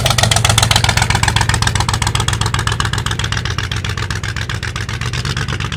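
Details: 1985 Ford Bronco (title says 1986), pasture find, first start in 8 months after puking coolant from an exhaust pipe; oil squirted down the cylinders. Lumpy, stumbling beat, about four pulses a second; misfiring, running on only about six cylinders. Cause not confirmed.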